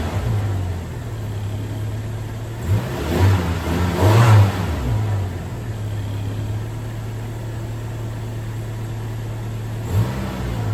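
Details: 2002 Toyota Tacoma with 270,000 miles, after coil pack replacement and vacuum line fixes; steady low idle with a few quick throttle blips and no stumble or miss. Engine idle after coil pack replacement.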